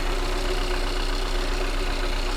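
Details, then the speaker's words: 2015 Kia Soul running with codes P0300 and P0302: low idle with a faint uneven lope and shaking, a cylinder 2 misfire, though the scan tool shows zero misfire counts. "as you can see the engine is running right now and uh it's shaking for me"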